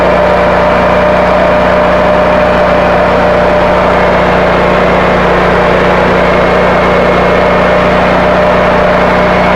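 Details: North Star 13,000 W brushless generator (model 165606N), Honda GX630 twin-cylinder engine, running after two capacitors fitted in parallel (63 µF) restored output; steady even drone, no knocks, hunting or speed swings, governor holding; normal running.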